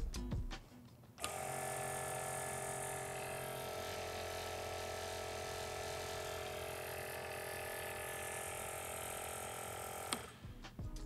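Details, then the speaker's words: New VIAIR 310 Stealth Series air-ride compressor with upgraded internals, new head, metal filter with integrated muffler and spring-loaded isolators: steady, even buzzing hum at one pitch, no knock or rattle, metered at about 67 decibels; quiet, normal running. "all right we're sitting at about 67 decibels which already in my opinion sounds like a quieter compressor"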